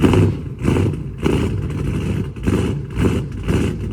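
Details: Dodge Charger Scat Pack 392 with cam, new 1050X injectors and boost-a-pump, previously running lean: deep, choppy idle surging about every half second on cold start, expected to settle into a regulated idle.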